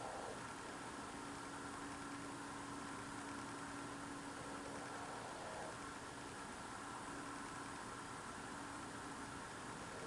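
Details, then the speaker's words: Loud unidentified idling-like drone outdoors at night, recorded through a frozen-shut window in freezing cold; the owner says it is not a generator. Faint, steady, even low tone with no speed change; source unknown. "And the noise I hear outside is so freaking loud. I can hear it through the window."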